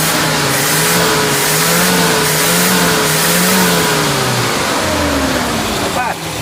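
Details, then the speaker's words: Van with standard original Hitachi carburetor, after distributor replacement: revs climb and fall smoothly through several blips with no stumble, popping or flat spot. Clean revving. "dapat. Itu yang aku nak bunyi tu dia tak sebu koyak tu."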